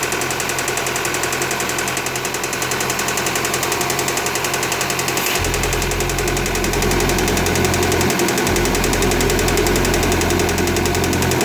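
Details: 2015 Audi A4 CPM petrol engine idling with a steady, regular knock of about three or four beats a second.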